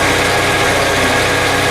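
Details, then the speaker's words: Chevy S10 just after head gasket, intake and exhaust manifold gasket replacement, freshly started, idling to circulate and warm up: smooth even idle with a steady low hum, no ticking, misfire or roughness. "I finally got it back together, got it started. I'm gonna let it run for a little while, and let it idle for a little while, so it can get circulated and stuff like that."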